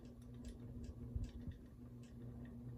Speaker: it's got the volume of the ticking noise is reduced you can hear it's not as loud which is pretty much easier which is kind of easier to put up with now